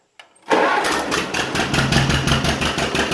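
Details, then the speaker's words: 1950 John Deere Model M garden tractor, dead cold and in neutral, little run since rescue: a brief crank, then it catches right away into an even, steady two-cylinder putt. A healthy cold start. "i haven't run it much i just ran it enough to get over here in the shop but even when it's dead cold it cranks up just"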